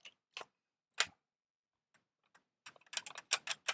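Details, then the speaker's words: Used microscope head shaken by hand: irregular light clicks and clatter in bursts, something small loose inside; cause suspected, not confirmed; one cracked lens found later. "natomiast czy coś lata w środku Słuchajcie uwaga no słychać ewidentnie że coś tam klekocze"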